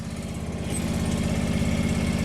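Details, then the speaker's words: John Deere 445 garden tractor, fuel-injected twin, derelict and long unused, just after cold start: steady even twin-cylinder thump, no skips or hunting; oil pressure light off, charging, a little smoke because cold. "that sounds good we got oil pressure cuz the lights off and it must be charging well that's good that's good blowing all a little smoke cuz it's cold"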